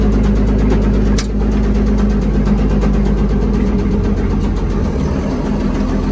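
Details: Old Komatsu WA180 wheel loader diesel: a hard knock repeats about four times a second over the rumble, uneven but persistent; rod knock from a worn rod bearing, engine died and owner considers it finished.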